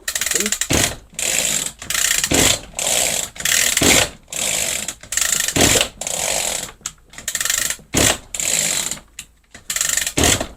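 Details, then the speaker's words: Echo GT-2200i string trimmer with easy-start, after air-leak screw check with choke on: a dozen rasping pull-cord strokes with no firing, cranks but never starts. "off H it's not starting looks like we got to delve a little bit deeper into this"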